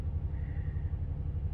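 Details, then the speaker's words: 2021 Ram 1500 5.7L Hemi that surges and won't idle without throttle: low rumble with a lopsided, loping beat; scanner misfire counter climbing on cylinder 1, a dead miss from compression loss there. "um yeah there we go it's clocking on cylinder 1 pretty good now"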